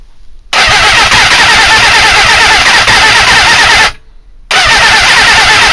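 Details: GSXR 400 on the starter: a fast, even churn with no firing. Ignition strobes at about 5–6° BTDC on the CDI box; the owner suspects timing and may change the box or trigger. Cranks but won't start.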